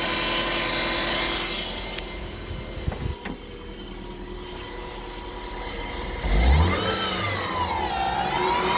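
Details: 2007 Subaru Impreza: thin hum over idle sweeping up and down in pitch as revs climb and fall, whining power steering pump.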